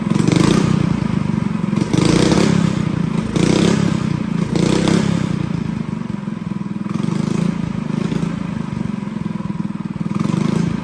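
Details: Honda GX200 clone single-cylinder on a go-kart, new tank and clutch, carb jet being drilled up step by step: blips up and settles back smoothly with crisp steady exhaust beat, no hesitation; running well.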